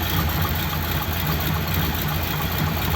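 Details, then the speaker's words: Ford Thunderbird, not run for ages and untouched before first start, no choke: cold engine idles a little rough with a low, uneven, loping beat; owner plans to check the water. "that wasn't too bad was it considering i didn't do anything to it the idol's a little bit rough it hasn't got a choke"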